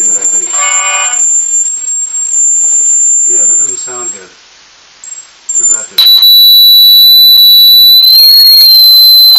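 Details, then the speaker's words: Marshall MG10CD amp guts rehoused in a lunchbox, first power-up test into a speaker cabinet: quiet playing, then a loud piercing squeal with slight wobble; feedback, possibly from missing ground reference, unconfirmed. "yeah that's Center that's not sounding right so it's good thing that I actually got that thing decided to test this"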